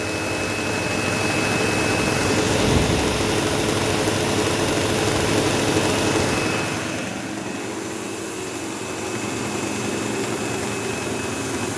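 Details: Sebo Automatic X5 upright vacuuming a living room: loud rough buzz with a thin steady whine over the motor, occasional belt-slip-like squeal, easing as load changes; the belt was checked, and brush roll play is suspected, unconfirmed.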